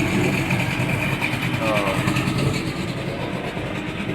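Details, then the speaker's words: 1978 Evinrude 150 outboard run in a barrel, after cold start with a little throttle: steady burbling idle with water splash, no misses or surging; idle fine, owner thinks a tune-up or new plugs may eventually be needed. "which i mean i i mean running wise i mean it idle is pretty good"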